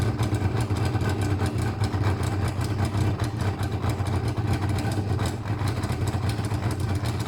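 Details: Motorcycle with pod air filters: a low, uneven thrum with irregular pulses, labouring and hunting at a rough idle, starved of air through over-restricted pods.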